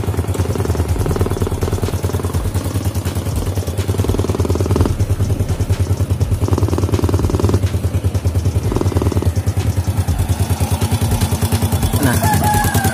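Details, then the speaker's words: Fit-X New motorcycle engine, first start after repairing a rocker (templar) that made it run rough. Idle thump with throttle blips bringing a sharp spitting note; leak at the exhaust port pops on revving; engine no longer rough. "untuk suara itu ini ada bocor di bagian lubang knalpot ya. Jadi ini adalah bocoran, sehingga ketika kalau kita geber gasnya itu ada kayak apa ya, kayak meledosan yang knalpot ya, gear ini."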